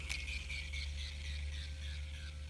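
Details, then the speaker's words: Shimano Stradic FL 2500HG spinning reel being cranked by hand: slow cranking with light ticking and a thin, high whine that sags in pitch as the handle turns; owner expects it to fade in time; gear whine. "There's a whining. You hear that whining? Sounds kind of nice though."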